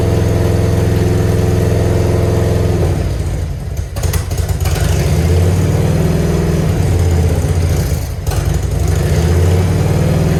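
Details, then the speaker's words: Grandpa's Harley-Davidson V-twin, off the road 15+ years, running: loud, lumpy idle with uneven pulses, the exhaust popping and spitting ("farting"); popping cause not yet known. "Listen to it fart again. Yeah, we definitely got to fix that."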